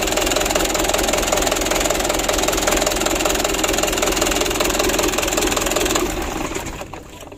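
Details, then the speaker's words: 2010 Mitsubishi Canter diesel (125 PS): loud, uneven idle clatter with a lumpy, shaking beat about twice a second, from uneven injection pump plunger settings; the engine is shut off so the plungers can be adjusted to even out the shake. "matikan dulu dan kita setel kita pergeseran punya supaya goyangnya itu normal ya ya Intinya jangan sampai terlalu parah goyangnya begitu ya"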